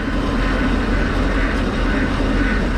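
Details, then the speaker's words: Boat engine after unwinterizing, now warmed up: loud even steady drone with no whine on top; the earlier water pump whine has quieted and running sounds normal. "water pump quiet down"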